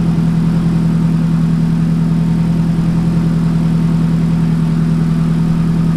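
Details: Nissan 180SX engine after accident, run on temporary fuel pump setup during inspection: even steady idle, smooth low drone about 3.5 beats a second, no knocks or stumbles; engine confirmed good — normal idle.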